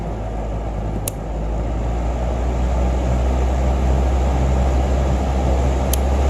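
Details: Holmes 20-inch box fan HABF-20: steady, even low rumble of moving air with a couple of light clicks, no knocking or rubbing; normal running.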